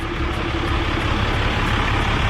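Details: Third-generation Ram 5500 (Sterling) hotshot truck pulling a three-car trailer, after a 6.7 Cummins replacement for rod knock: new engine runs with a steady, even rumble, no knock or tapping; sounds healthy.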